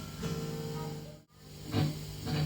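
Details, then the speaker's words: Electric guitar through a cable: notes play over a steady hum, then the signal cuts out completely and returns. The output jack's contact is not touching the cable tip; the fix is to replace the jack. "see it's cutting out turn the volume up a little [Music] bit you can hear that hum so this metal piece here is not touching the um tip of the cable"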